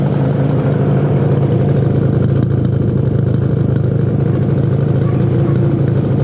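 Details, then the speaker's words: 1968 Yamaha YAS1C 125 twin two-stroke after carburetor cleaning: uneven, stumbling idle with a lumpy beat, left side steady, right cylinder running poorly; improves with choke, won't take throttle, suspected right-side pilot jet carburation problem. "it runs on both sides but it doesn't run well on this side I think uh what I oh choke off not yet see you can hear the difference this one is this one's steady so there's something going on on the right side"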